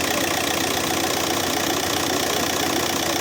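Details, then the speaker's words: Audi A3 8P 2.0 TDI (BMM) diesel at idle after replacing the seized alternator overrunning clutch: steady, somewhat loud diesel clatter. The earlier knocking rattle is gone and the belt tensioner no longer jerks. "Ну всё, в общем, поменял. Конечно, что-то ещё он громковато работает, но хотя бы нет этого."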